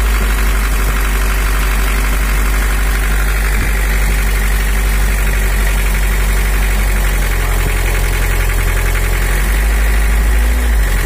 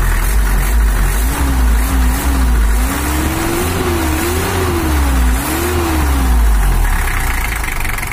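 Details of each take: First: Toyota HiAce LH11 (1984) diesel with overheating complaint, just started cold, injection pump setting turned fully to maximum: idles too high and harsh with hard uneven clatter; high idle from misadjusted injection pump, to be returned to standard. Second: 1984 Toyota HiAce LH11 with 2L 2,200 cc diesel, after repair for overheating and coolant overflow, injection pump back at standard setting: even diesel clatter at idle, revving smoothly with throttle blips, no knocks or misses; normal idle and revving.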